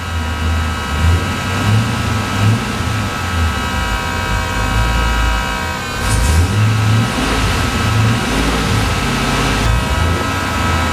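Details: Chinese external fuel pump (max about 50 psi) bolted directly to the car floor before insulators were fitted, engine warming up after a battery disconnect: a constant loud electric hum droning through the body over idle and light revs.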